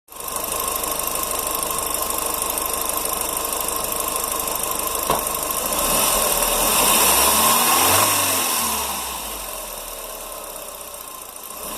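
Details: Audi S3 with BAM engine running: steady loud engine with a fast even rattle about four per second and a metallic tick on top.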